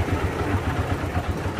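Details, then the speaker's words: Honda Supra Fit New motorcycle engine at idle: rough, lumpy running with a fast, uneven low knock under the exhaust beat, like stones inside; engine torn down, worn connecting rod and piston. "Nah suaranya itu kasar seperti ada batunya di dalam itu ya"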